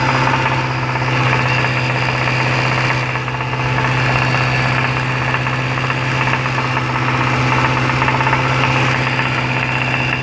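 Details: Jaguar XFR 5.0L V8 held at about 2100 rpm: deep, steady knocking that pulses with engine speed. A worn big-end bearing from oil starvation after a dealership service caused rod knock, confirmed on engine strip-down.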